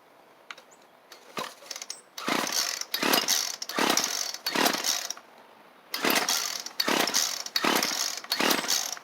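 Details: Cheap small two-stroke tool, sixth unit, after new carburetor, air filter and primer bulb kit: repeated pull-start attempts, each a short rasp about a second with pauses; never catches, hard starting.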